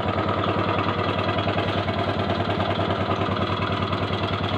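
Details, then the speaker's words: 2008 MX 4-speed motorcycle, original engine and exhaust: lumpy, uneven idle with a soft irregular knock about three per second; seller says engine knocks slightly (ngelitik), rough, needs service. "Itu aja sih, langsung saja ya, dengarkan suara mesinnya. Suara mesinnya kasar, perlu diservis."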